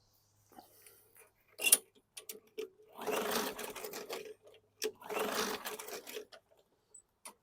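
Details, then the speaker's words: 2019 Murray push mower, 4.5 hp Briggs & Stratton 450E engine; two recoil pulls whir and fade with no firing; no-start because the sticking safety brake cable linkage keeps the ignition grounded on its ground tab. "couple millimeters to get it off of the ground Tab and it's going to start so you guys that are pulling on machines check your safety brake cable here give the linkage a push to the left here and you may have some success"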